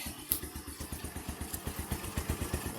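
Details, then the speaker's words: Bajaj CT100 single-cylinder idling after a muffler repair: soft, even exhaust pulses about four a second, muted and sounding like the original, with no rasp or leak. Normal exhaust sound. "Parang original ang tunog. Tahimik na tahimik."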